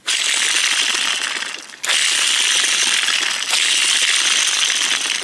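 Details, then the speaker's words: BMW E46 M54 removed belt tensioner pulley spun by hand: dry gritty metallic rattle as it spins freely and slows, worn crusty bearing; replaced with new tensioner. "is that what your car sounds like while it's running kind of what mine sounded like that's why I'm changing my tensioners"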